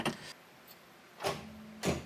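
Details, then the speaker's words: 1967 Chevy Corvair four-door, unstarted for over 20 years, in neutral with clutch in: three separate clunks and no cranking rhythm. Owner thinks the starter is mechanically engaging, not the solenoid, but the engine won't turn over. "ah come on that that sounds like the star is engaging well I don't think it's the starter solenoid because it sounds like we're getting mechanical engagement yeah that definitely sounds like it's engaging"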